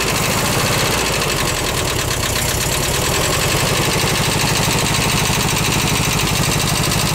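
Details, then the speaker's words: Rescued VW bus engine on its first start, carb uncleaned, fed from a gas can: a lumpy, uneven idle with one cylinder skipping a beat. The owner will adjust the valves, hoping it smooths out. "so I'm going to go UHA adjust the vows real quick and see if it uh will kind of smooth out a little bit and uh maybe regain a little bit more composure you hear one cylinder skipping a beat"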